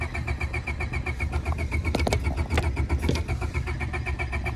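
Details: Honda Civic left sitting in grass, engine oil replaced with tire foam, cranked on a steep angle: steady rhythmic cranking about four turns a second that never catches; cranks but won't start, cause unconfirmed.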